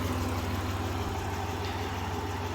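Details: 1993 Dodge Grand Caravan LE, about 166,357 miles, after a new water pump, idler, tensioner, belts, coolant and fluid changes: an even quiet idle with a steady low hum and no growl, whine or knock, healthy.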